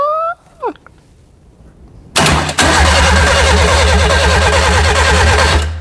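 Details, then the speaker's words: Classic Mini with Nissan engine swap, cranking with ECU powered: fast even starter churn about two turns per second for over three seconds, never fires, no spark found; crank no-start. "no spark no spark so we're all connected"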